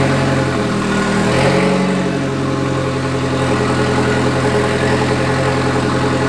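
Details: MK2 Golf with swapped 1.8T engine and 02J transmission, first time on the ground: steady idle with an uneven rapid knock; goes away when the clutch is engaged, owner suspects flywheel or clutch, unconfirmed.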